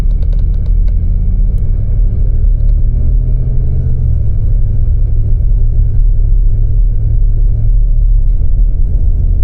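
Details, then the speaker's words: GMC Yukon XL, 6L80E transmission, steady highway cruise a couple hundred km after replacing the failing torque converter with a billet unit: smooth, even low rumble with no pulsing or judder, converter locking cleanly; former shudder is gone. "As you can see, where it used to shudder before, it's not shuddering whatsoever."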